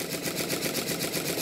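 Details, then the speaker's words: Model triple expansion steam engine after fitting cylinder drain taps and tie-wrap support on intermediate cylinder expansion link: light, quick, even chuffing, no knocks; easier to start, runs much better. "the engine is easier to start and it runs much better"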